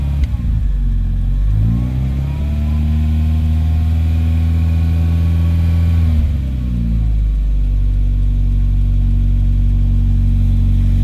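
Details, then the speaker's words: Volvo 940 after camshaft and valve spring upgrade, first start: smooth, even four-cylinder note climbs cleanly with the revs, then settles to a steady idle, all cylinders firing. "oh that's a good sign wow okay we're running on three but sounds like we're on four"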